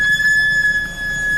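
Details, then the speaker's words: Car brakes under light pedal: a thin, sharp, steady high metallic squeal that cuts off. Typical sign that the brake pads are worn down and need checking. "它异响常见的有2种，第一种是轻踩刹车时尖锐的金属摩擦"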